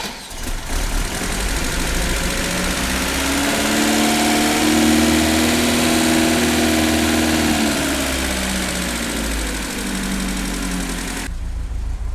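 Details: Vaz 2103 (Lada) engine starts and settles to a steady, even idle, maybe slightly low, with no misfire or stumble, after changing the ignition contacts; the earlier fault followed a chain tensioner break at 120 km/h. Normal idle.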